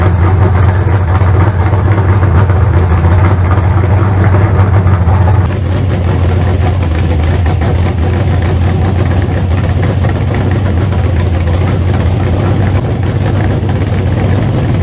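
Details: Freshly built 388 small-block Chevy V8 (replacing a troubled 406, reusing its heads and intake) for a crew-cab Chevelle, fire-up; deep, even rumble at steady idle with no knocks or misfires, running well.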